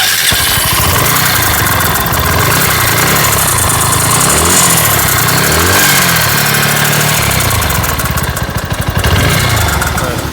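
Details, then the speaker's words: Timing chain rattle on a Bajaj Pulsar NS160 BS6 at idle: light, uneven tik-tik about four a second over a wavering beat; timing and adjuster checked fine, top cover opened showing the timing chain striking the sleeve. "तो इसका जो खिटखिट का आवाज आ रहा था वो इसका ये अंदर वाला है। ये जो टाइमिंग चैन है ये आपका पलक वाला जो स्लीव रहता है इसमें टकरा रहा था।"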